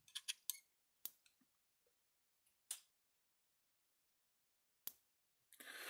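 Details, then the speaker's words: Gallagher solar fence energizer (S50/S20) with repaired circuit board, overhead light off for night mode: strong sharp snaps spaced about two to three seconds apart over quiet background; same shock, slower pulse to conserve battery; normal night-mode operation. "my volts out of it so it's just as strong just a slower pulse so it's just a strong at night just a slower pulsed"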